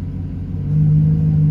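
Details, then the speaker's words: 2007-2013 GM V8 Silverado-type truck with Flowmaster exhaust, first 3-minute run after throttle position sensor replacement: deep rumble with idle gently rising and easing during idle relearn; normal. "I started it up it actually sounds 100% normal but they don't recommend jumping in it taking off so we're going to do it the way they recommend it so as it's sitting here running for this first 3 minutes you can hear the idle moving back and forth a little bit just a little"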